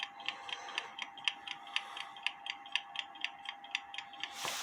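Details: Kienzle carriage clock (1898–1923), heard through a beat amplifier after setting the hairspring: crisp, even, equally spaced ticks with no limp; clock now in beat.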